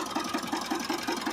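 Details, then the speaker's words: Mitsubishi Pajero Sport 4D56 diesel at idle in Drive: a regular sharp knock about five times a second over a steady idle. It is heard only in Drive and Reverse, barely in Park or Neutral, and fades by 1000 rpm. Cause: broken crankshaft. "машина на драйве какой-то стук непонятный"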